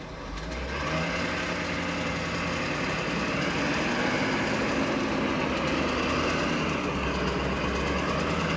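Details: 2014 Ford F-350 6.7 diesel, 7,500 miles: light quick tick, roughly four a second, over a steady idle; top-end tick, cause unknown.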